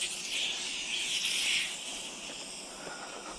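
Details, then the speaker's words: Tractor tire that came off the rim in cold weather, being reseated with a ratchet strap and air compressor; a thin, steady hiss of escaping air that fades, suspected bead leak, unconfirmed. "now we're gonna try to put some air in it. Hopefully. I can't tell if it's leaking or not. I think it is."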